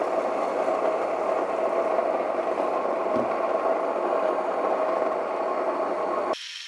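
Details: Mockmill 200 grain mill coarsely milling oats at setting 17–18: an even, steady grinding rush with no knocks or labouring, running normally.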